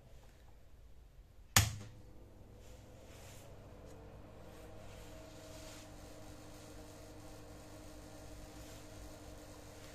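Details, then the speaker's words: Stranger PBT501 500 W DJ amplifier, worked fine for 4–5 months: a sharp thump at switch-on, then a steady low hum with a crackling "patar patar" sound and no music output. "तो on करने पे भी देखो ये इसमें से पटर पटर का साउंड आ रहा है, ये देखो आपको आवाज़ सुनाई दे रही होगी।"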